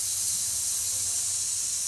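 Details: Mini autoclave sterilising clinical instruments: a steady, even high-pitched hiss of steam with no rumble or sputter as it holds 15 psi operating pressure near cycle end; normal.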